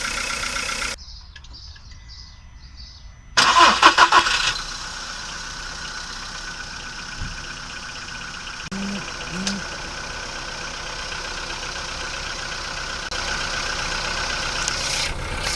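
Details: VW Polo Sedan petrol engine, cold start after two days parked, phone held near the closed hood, Lukoil Genesis Armortech 5W-40 oil about 5,000 km old: cranks and catches, then light, fast valvetrain ticking from hydraulic lifters in the first seconds; owner suspects rollers.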